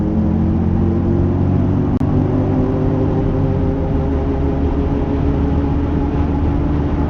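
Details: Mercedes R170 SLK while driving: steady low droning hum under road noise at an even pitch; failing wheel hub bearing.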